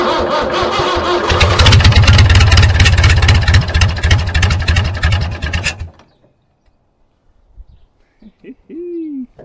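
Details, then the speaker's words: David Brown 990 diesel tractor, previously non-running, first start: cranks briefly, catches and settles into an even, steady chug for several seconds before shutdown; motor runs healthy, clutch or gearbox still unchecked. "oh that sounds beautiful so put some oil in the transmission and the power steering and um see if it's going to move under its own power that's the next thing i suppose if it's uh it could be a clutch problem or gearbox but at least that motor runs man that sounds mint"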